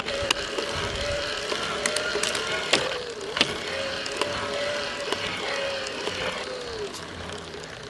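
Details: Warranty-replacement Shimano EP801 e-bike drive unit at about 700 km: sharp cracks roughly once per pedal turn, when right crank passes 1 o'clock, over faint motor whine; axial play increased after about 500 km, same noise as first motor.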